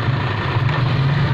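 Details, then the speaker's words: Suzuki Liana manual M13 petrol engine idling with AC on and headlights on for full load: uneven, stumbling rumble that dips and jerks, one cylinder misfiring, RPM fluctuating, compressor tripping; blamed on a failing ignition coil. "ये देखें एक cylinder बिल्कुल smooth नहीं है पहले बीच में रुकता है झटका मारता है ये देखें ये खड़ी गाड़ी का इंजन सर मार रहा है"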